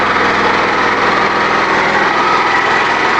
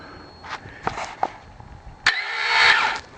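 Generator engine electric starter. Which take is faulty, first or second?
second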